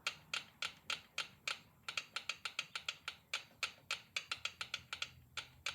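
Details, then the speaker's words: 1972 Triumph TR6 650 twin, engine off at top dead centre: light, even ticks as rocker is rocked by hand, small play; valves 2 and 4 clearance correct, ruling it out as cause of left cylinder running hot. "That sounds like a really good 2 and 4."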